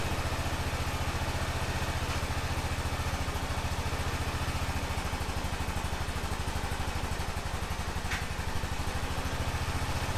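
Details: 2005 Honda TRX650 Rincon, 650cc single-cylinder four-stroke, on choke in neutral after a no-run condition: steady, even idle thump with no misses, knocks or rattles; running cleanly while warming up.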